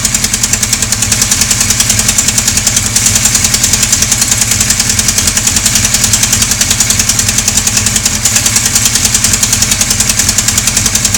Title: Sonderbare Motorgeräusche Teil 2.AVI